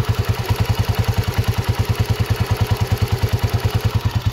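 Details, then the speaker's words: Honda CG125 single at idle with sharp regular tappet ticking; head rocker and CDI unit to be replaced. "टपे की आवाज आ रही है कटक टक टक अब मैं इसको रेस दूंगा ज्यादा होगी देखना"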